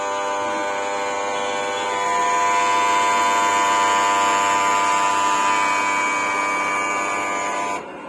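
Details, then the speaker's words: Split AC outdoor unit, indoor unit running but no cooling: loud steady buzz for about eight seconds with no run-up, then cuts off; capacitor start terminal broken and thimble burnt, compressor drawing high amps and tripping. "इसके capacitor का एक terminal ही टूटा हुआ था, और यही वजह थी कि एसी हाई एम्पियर ले रही थी और बहुत ज्यादा इसमें से आवाज आ रही थी और ट्रिप कर जा रही थी।"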